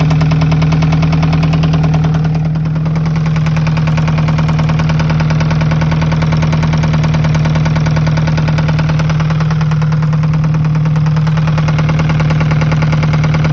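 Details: Alfa Romeo 156 1.8 engine at idle with a sharp, regular tapping knock about three times a second over the engine; cause not yet determined.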